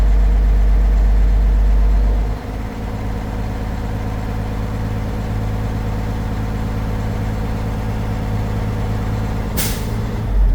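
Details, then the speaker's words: Diesel tractor idling with chocked tires during in-cab pre-trip air brake test: compressor builds pressure until primary and secondary gauges reach governor cut-out at 130 PSI, then short sharp hiss as air dryer purges; normal. "you hear the sneeze? All right. So, both my primary and secondary air gauges are at the governor's cut off, which is between 120 and 140 PSI."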